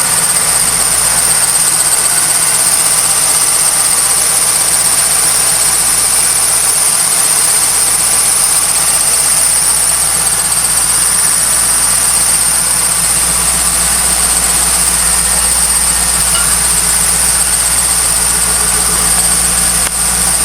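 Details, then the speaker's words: 1998 Trans Am idling with a steady, high, bird-like chirp lasting about 10 minutes and heard throughout the garage; belt chirp, traced to a dry-rotted A/C belt (pulleys can also cause it). "If you can hear that, I'm not sure what it is, but it's really fucking annoying. And it does this for a good 10 minutes. I'm not sure if it's the belt."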